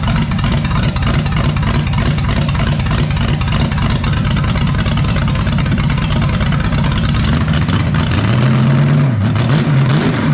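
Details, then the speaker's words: Freshly built 454 big-block Chevy for a 1972 Camaro. It holds a fast, lumpy idle with a brief rev blip and won't settle; smoke was seen near cylinder 8. The owner is unsure of the mixture, and someone suggests changing the cam. "Why can't I get this thing to low? What? Is it too rich? Too lean? Too slow? Too fast?"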